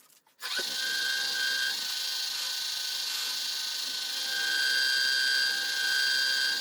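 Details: Wood lathe turning a box elder bowl: steady high-pitched whine with thin ringing over the motor hum; owner blames cheap replacement spindle bearings and plans to redo them.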